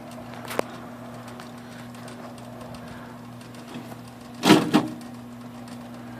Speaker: it does make a little noise when it runs you hear it